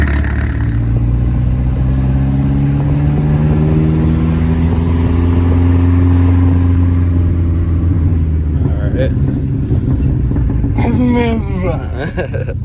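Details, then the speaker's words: 2005 VW MK4 GTI after replacing upstream and downstream O2 sensors: idle with an uneven, loping beat about four pulses a second instead of a steady hum; possible misfire suspected, code cleared to recheck. "She's loping a little bit. You hear that lope? You hear that lope?"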